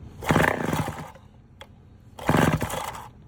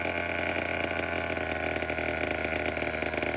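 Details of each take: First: Vintage Homelite 7-19 chainsaw with low compression (about 60–70 psi) and oil sprayed into the cylinder, started on choke: two short ragged firing bursts that die within a second. Fuel starvation, no gas reaching the carburetor; fuel shut-off valve position uncertain. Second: Vintage Homelite 7-19 two-stroke chainsaw (late 1950s/early 60s) after carb cleaning, diaphragm still worn: even idle, slight dip, then cleanly up to a higher steady drone; runs pretty well for its age.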